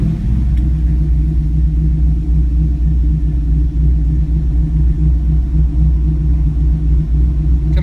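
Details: 2004 Chevy Colorado with a swapped 5.3L V8 and Texas Speed stage 4 cam (223/226, .600/.600, 111 LSA), warm, after retuning airflow, timing and idle (~925): deep, choppy lope that holds steady without stalling, trims -4/-3.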